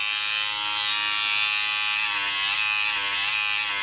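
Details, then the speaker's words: Barber's hair clipper, about a year old, running free with a harsh, loud, raspy buzz; cause is a worn cam follower inside, an easy part to replace. "avec celui-ci est pour un c'est que tout cela est une came disciple qui est à l'intérieur d'ici le mur suiveur de came"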